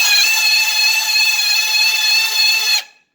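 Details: Honda motorcycle speedometer spun by a drill on a cut speedometer cable: normal at low speed, then a loud, piercing high-pitched scream at speed that stops when spinning stops; dry, ungreased speedometer mechanism.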